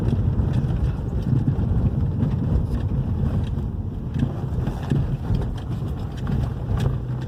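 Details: 2011 Hyundai i30 2.0 gasoline on a road test over the same irregular street after the stabilizer bar bushings and both links were replaced: low tyre and road rumble with wind and no knocks over bumps; the earlier knocking is gone.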